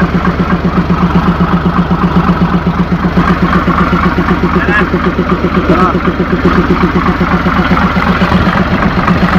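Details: Mitsubishi 6M70 double-EGR diesel idling two hours after engine rebuild (piston rings, bearings, gaskets, cylinder head) done twice for blow-by: steady, even idle about four pulses a second, no knocks or misses; healthy, problem reported solved.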